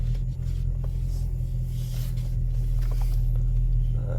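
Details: 1999 Honda Civic EK before catalytic converter replacement, not fully cold after sitting in sun; heavy deep drone with uneven throaty pulse, exhaust noticeably loud, possibly a leak; loud exhaust at idle.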